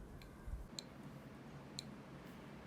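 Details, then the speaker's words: Arduino board with buzzer, output moved from pin 11 to pin 12 in code: crisp high ticks once per second in a quiet room; the buzzer clock is working normally. "and we can hear that the ticking clock is working there okay so a simple adjustment to the code to adjust for the different buzzer with the different pins"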